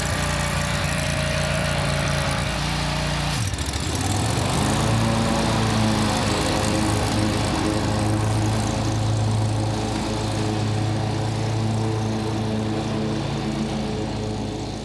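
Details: Country Clipper Boss SR1200 zero-turn mower, run at full throttle, which is needed to engage the belt: picks up at about four seconds into a smooth, even full-throttle drone with no misses; runs healthy.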